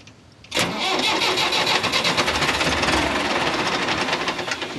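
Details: Engine that won't start even at full throttle: steady starter churning at about three pulses a second, searching but never catching and running; cause unknown.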